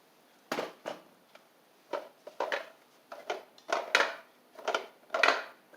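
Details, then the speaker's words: Craftsman LT3000 lawn tractor engine, turned over by hand with a battery and carburetor fitted but no fuel hooked up: irregular metallic rattling bursts from a loose part inside; cause unknown, and a 14 hp replacement engine is planned. "something is mad massively rattling in there and uh doesn't sound good"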